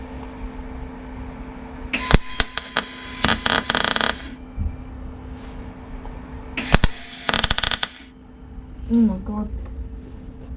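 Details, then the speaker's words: Welding on a Rover P6: welding crackle keeps breaking off and restarting instead of a steady sizzle; erratic arc, unsure whether too much or too little power. "does not sound like a good weld, does it? Something's going on. What do we reckon? Too much power or not enough power?"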